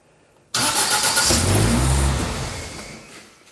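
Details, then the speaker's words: Holden Gemini build, first start attempt with Haltech engine management and a basic start/idle fuel map: the starter spins the engine with a rhythmic chug but it never fires, so the fueling is changed before retrying. "Just like that. I'll just change the fueling and then we'll go again."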